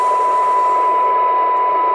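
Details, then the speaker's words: PC76XLW radio after recap, alignment, AMC circuit and meter LED repairs, receive test on signal generator: even hiss with a thin steady tone at very low signal, reaching minus 113 dBm; good receiver sensitivity. "Minus 113 dBm. That's a really good listening radio."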